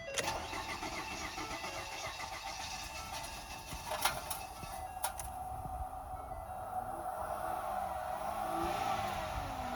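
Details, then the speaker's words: Ford Fusion, battery at 9.4 V, jumped to about 14 V; short struggling crank then catches to an unsteady idle with stray clicks, running very rich; starter suspected bad, mechanic also suspects an engine problem. "I mean, the starter may be bad, but I think he's got another problem. I think he's got a motor issue."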